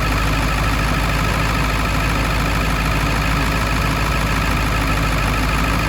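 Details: 1999 Ford F250 Super Duty 7.3L Powerstroke diesel after rebuilding the EBPV turbo pedestal for an oil leak and repairing a connector: big diesel idles with an even, steady clatter, no misses or knocks; healthy.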